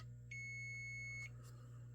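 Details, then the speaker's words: Golden Tee Fore arcade board (no boot, solid status light); checking chip legs for continuity, the suspect bad-leg pin now beeps though silent a moment before: one steady high beep about a second over low mains hum: continuity beep on suspect pin. "so you got to go through and check every single one of these to make sure that we do have a proper continuity there"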